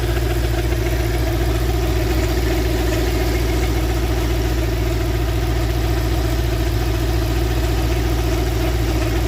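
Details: Engine at steady low idle: drone with a faint repeating beat over it, some noise from the front of the engine; owner suspects the bottom (crankshaft) pulley, source not confirmed.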